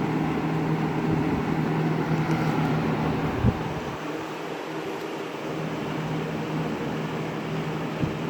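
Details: 20-inch Lakewood S223 second-generation box fan on high speed: steady even whoosh with a low hum, no rattle or knocking; the grill rattle heard on low is absent or masked on high.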